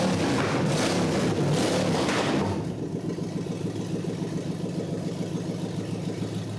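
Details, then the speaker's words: 1948 Packard custom build, not at operating temperature, first running after the coil hot lead was reconnected: catches, revs hard briefly, then settles to a steady even idle; it ran fine, though a loose heater hose clamp on the intake manifold leaked coolant. ">> I'd say it runs. It >> was a simple fix."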